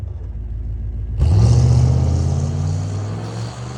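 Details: 1992 Buick Roadmaster V8 with no catalytic converters, running without the misfire: it catches and settles into a deep, even exhaust drone with no stumbles or skips, firing cleanly on all cylinders.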